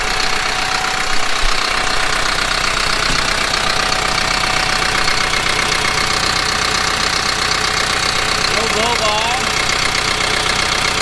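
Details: Kubota M15GX engine idling steadily after a full engine rebuild, no coolant added yet; even clatter with no misses, hunting or knocks; owner wants to gauge actual oil pressure; normal idle.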